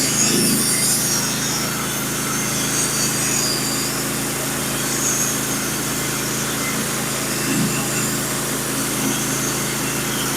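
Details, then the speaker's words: Norwood HD36v2 sawmill with a sharpened Stellicut band and new roller guides cutting red oak deck boards: an even, steady hiss through the hardwood over the engine drone, no surging or chatter. The teeth engage evenly and cut predictably. "it is running the teeth and I don't know how well you guys can hear it with the noise cancelling but the teeth are engaged nice and even beautifully uh it's very very even when I'm running it"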